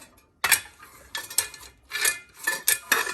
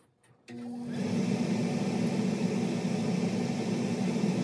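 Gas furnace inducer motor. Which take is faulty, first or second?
first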